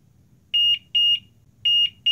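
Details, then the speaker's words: Graphics card under test in a PC with the hard drive unplugged: at power switch-on the supply gives high shrill beeps in short repeating pairs with nothing else running, its short-circuit protection tripping from a shorted GPU. "because this is my power supply, actually make this sound when it's beeping. It mean there is a power short."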